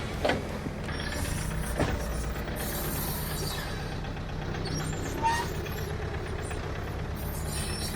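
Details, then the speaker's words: Off-road Jeep crawling a trail: low engine drone with sharp heavy clunks and rattle from the rear. Snapped rear axle shaft, with the brake drum pushed out farther than normal. "it was making a lot of racket oh yeah and that drum is definitely out farther than it should be"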